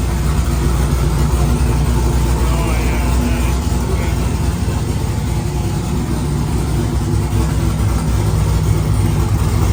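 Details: 1999–2006 Chevy/GMC GMT800 Silverado/Sierra V8 idling after Flashark long tube header install, open straight pipe before turbo hookup; loud, deep, lopey rumble with steady burble, no knocks or ticks, normal healthy idle.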